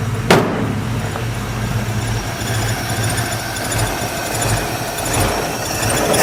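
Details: Jeepster Commando after Rochester carburetor rebuild: fired up quickly, even, steady idle with smooth low rumble and no misses or knocks; normal idle, though fuel leaks from carburetor top, float suspected not shutting off.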